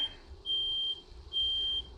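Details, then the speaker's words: 1988 Dodge B250 Roadtrek van, 318 TBI, first start after fuel injector and temperature sensor replacement, running in the garage: two shrill steady beeps under a second apart as the smoke alarm is triggered by exhaust fumes. "not on fire i got the exhaust i'm outside the garage with the doors open smoke detectors obviously work"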